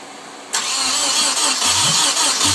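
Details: Nissan 240SX KA24DE with rebuilt head and 5-speed conversion, fuel pump fuse pulled while cranking: starter whirs steadily with brief low puffs as cylinders try to fire, but it never catches; owner reports timing, spark and fuel good.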